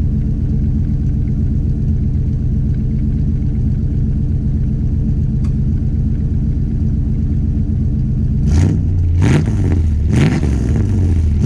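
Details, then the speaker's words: RV after a new fuel pump and new center-in exhaust. Deep, even idle rumble, then three quick throttle blips rising and falling cleanly; healthy, throaty exhaust. "i like i really do like the sound of it it's got that nice throaty sound so i'm gonna go give it a little gas so you can hear it"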